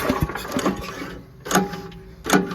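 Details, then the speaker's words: Old Giant Vac leaf blower, on full choke and full throttle: several recoil pulls give short whirring bursts with no firing. The spark plug gap is found bridged by a speck of fouling. "Yeah, there's actually a speck of crap that's bridging the air gap on there, if you can see that."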